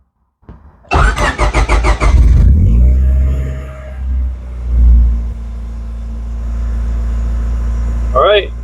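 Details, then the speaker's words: Honda Civic after main relay replacement, sitting about two weeks: brief starter whir, catches on the first try and settles to a steady even idle; fuel pump now working, no-start likely fixed. "on the first try after sitting for probably two weeks crank right over so good chance it was that main relay problem solved at least for now"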